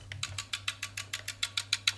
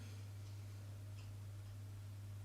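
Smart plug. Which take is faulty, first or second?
first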